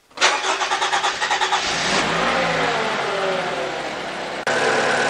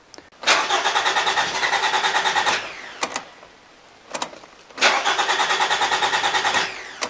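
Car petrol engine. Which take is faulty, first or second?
second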